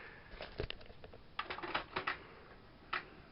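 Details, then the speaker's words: Aiwa XR-H33MD hi-fi from 1998: with no tape inserted, both tape decks are stuck in play mode with the doors locked, and the transport makes quiet, irregular clicks in small clusters; the owner suspects perished, slipping belts. "So I'll just turn it on. So if you can listen, yeah, the tape just clicks for a while,"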